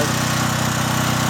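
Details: John Deere generator with Briggs and Stratton engine, after carburetor cleaning and fuel line replacement (had sat for years, gummed up, wouldn't start): steady, even drone, no misses or surging, running unloaded during output checks (114 V per side).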